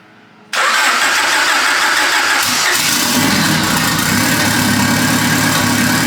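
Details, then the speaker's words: Honda Civic with built turbocharged H22 engine, first start, fuel pressure about 40–43: catches instantly into steady, even idle with no misses or knocks, good oil pressure, running a little rich; healthy first start. "Woo! Listen to that thing purr. Yeah, lots of oil pressure."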